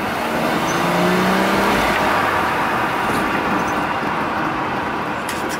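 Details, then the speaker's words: Six-cylinder BMW bought cheaply, idling with a light throttle blip: smooth hum swells and settles with no knocking or misfire; engine sounds healthy. "Aber achtet mal, ganz leichten Gasstoß."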